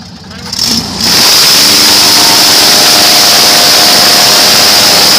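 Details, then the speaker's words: Airboat on its first prop-pitch test (target not much above 3000–3200 rpm): after spool-up, a loud, steady, even full-throttle roar, healthy, with flames from the exhaust; battery sounded a little weak. "oh yeah that [ __ ] sounds good that's where you want"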